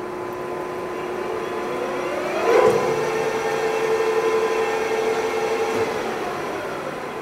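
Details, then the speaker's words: Lion 23MT lathe headstock test run right after break-in oil change at about 35 days, feed box oiler sight glass showing oil pumping; smooth even gear whir, steady mid tone, no knocks or grinding; normal running. "and it's showing its pumping so everything's working properly and everything sounds good in that speed range"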